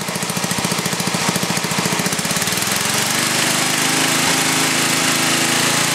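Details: Briggs & Stratton 11 hp flathead single (model 25), first run after a year idle, hard cold start at about 60°F after a night in the 30s: even chuffing that steadies into a smooth run after a few seconds; runs well, burns a little.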